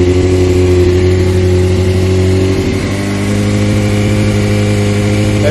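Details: Rebuilt wrecked Honda CBR600F4i motorcycle, bike upright: steady, even idle with no cutting out or stumbling; healthy.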